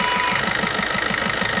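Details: Maruti new Swift diesel idling with regular knocking and white smoke when revved: sharp regular knock each firing cycle; injector no. 1 return about double normal.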